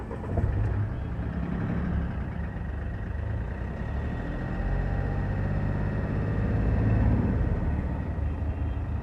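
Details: Mahindra Bolero diesel on test drive after injector repair, cleaning and injector coding to fix vibration and knocking: deep steady rumble building as it pulls away, no clear knocking.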